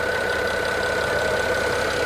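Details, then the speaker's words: Used BMW 5 Series idling with a slight shake the inspector likens to a misfire. A fine, rapid ticking comes from the valve cover area, heard under the hood during a pre-purchase inspection. Valve cover ticking at idle. "it's shaking a little bit there's a little bit of a ticking noise coming from the valve cover area"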